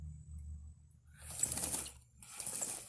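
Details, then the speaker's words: Honda XR650R rear wheel spun by hand after wheel bearing replacement, axle not yet torqued and chain not adjusted: bursts of quick light slapping and clatter as the too-loose chain slaps its guide. "oh wobble another that's what we want just like that you hear it slapping a guide up here"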